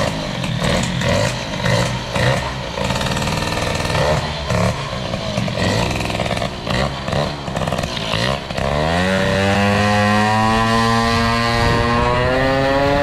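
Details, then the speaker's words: Air-cooled two-stroke moped with BOOST cylinder head, hybrid air cooling, lightened variator, being run in and tuned under load: pulls hard, rising pitch but choppy, burbly note; carburetion still seems too rich, owner plans main jet down to 88. "l'impression que la carburation et encore trop riche"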